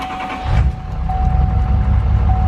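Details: 2017 L5P Duramax diesel idling, shaking, with a cylinder 8 misfire and injector circuit code, before repair; deep, uneven, stumbling low thump; the cylinder 8 injector pigtail is suspected to be damaged; cylinder misfire.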